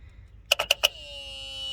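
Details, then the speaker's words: Ford F250 with a 7.3 IDI diesel, hotwired under the hood: a jumper from the constant-hot terminal to the small terminal energizes the glow plug solenoid. It gives four sharp clicks, then a steady high ringing. Clicking means the solenoid works; no click suggests a bad solenoid. "which turns on your glow plugs if you don't hear that thing clicking you might have a bad solenoid"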